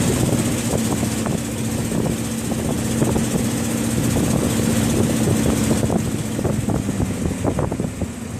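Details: Ford 7.3 IDI diesel idle with sharp, loose puffing ticks about four a second over the clatter, typical of a leaking exhaust joint; exhaust leak suspected, not confirmed.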